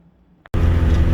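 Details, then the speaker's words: Saturn S-series with a rear-mount turbo, after replacing the hub wheel bearing: pulls away with a smooth, steady low rumble and no growl, noise or vibration. The bearing noise is fixed. "well the noise is fixed thank goodness so no vibration no noise"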